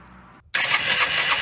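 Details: Engine on its first start after a rebuild (missing tensioners and snapped head bolts fixed), side plate off: quiet, then a quick catch and a strong, steady, even run with no knocks or misses; healthy start and idle.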